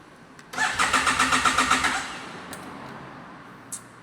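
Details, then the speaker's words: Motorcycle that ran normally the previous day, cranking in Asunción, Paraguay: starter cranks about 1.5 seconds in quick even pulses, engine never fires, no dash warnings; rider suspects fuel pump or injector, unconfirmed. "Agora, eu estou tentando dar partida na moto e ela não pega. Ela não dá sinal nenhum no painel e simplesmente, não pega."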